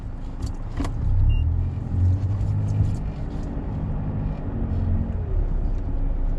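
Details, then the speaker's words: 2009 Mercedes-Benz W204 C200 after replacing the right front drop link and adjusting the left front wheel bearing, reversing slowly at full lock: low, even rumble with no clicks, knocks or rattles; the front suspension fix is confirmed. "So, yeah, that sounds good. No noises. So, I'll just try it the other way. The full to try it. Yep, that's definitely a lot better."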